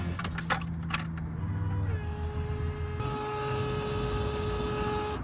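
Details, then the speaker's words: Old Toyota Corolla FX with an engine swap, fuel pump mounted up front under the hood: a steady, high-pitched electric whine at one pitch over a low idle rumble; the fuel pump is extremely loud. "before I take you for a drive in this thing you have to hear the fuel pump it is ridiculous"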